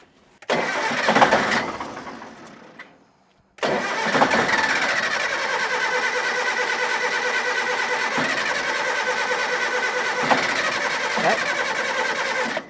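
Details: Diesel engine on a scrapyard communication tower, batteries possibly wired in series for 24 volts: short crank that fades, then second crank catches into steady diesel clatter; hard, reluctant start.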